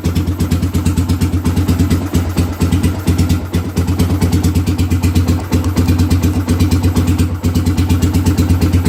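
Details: 2007 Suzuki GZ250 after repairing a chafed, cut orange kill-switch wire near the chain that caused power but no crank: steady, even single-cylinder thump at idle, no misses or mechanical noise; normal idle.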